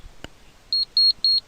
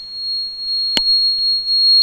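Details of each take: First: Energia Italy gas changeover switch self-test during diagnosis: after a click, four short high-pitched buzzer beeps while all LEDs blink; the switch and buzzer test as OK. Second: Energia Italy gas conversion system running on gas, injector 3 deliberately disconnected: switch sounds steady high-pitched continuous beep, open-load error as injector signal is lost, gas injection time drops to zero and system switches to petrol.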